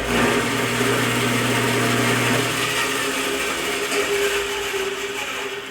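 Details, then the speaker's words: Jet band saw after replacing the bent upper wheel hinge assembly (WBS-14, part A100019) that caused the noise: steady, even whir with a low hum and no knocking or rubbing, running normally. "everything works a ton better um before like i said it was making a lot of noise and everything so um that was definitely the fix for this thing"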